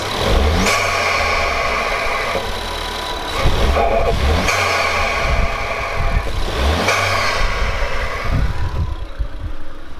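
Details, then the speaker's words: Engine of an ST after fitting a CEUK enhanced induction kit and silicone hose; it catches and revs cleanly in smooth even blips, no knocks or misfires, no check engine lights, sounds healthy. "is good I don't have any check engine lights it sounds good"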